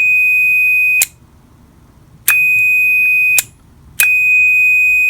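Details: Clean, high, steady multimeter continuity beep each time the probes bridge the contacts of a modular switch for a CNC control panel; the contacts are normally closed and conduct.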